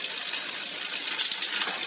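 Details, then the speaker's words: Road bike front derailleur: fast thin metallic ticking and hiss as the chain rubs the FD cage; a half-click trim on the left shifter moves the FD away from the chain and the rub disappears. "Oke, ini untuk menghilangkan bunyi yang cetring-cetring tadi. Ini kan bunyi, oke."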